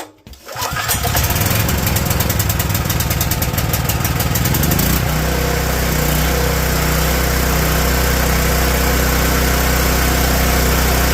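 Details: Generator with surging idle, after cleaning the carburettor idle jet, blamed on ethanol fuel: small single-cylinder engine catches quickly and settles to a steady, even idle with no hunting; runs normally.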